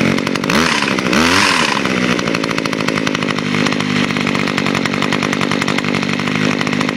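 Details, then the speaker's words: Two-stroke trimmer started on auto choke with a quick pull, somewhat smoky: a quick rev flare then a steady, even high buzz with no misfires or knocks; normal running, healthy. "Turn it on, flip the auto choke, give it a quick pull. It is kind of smoky though. That's okay, I know it's good lubrication."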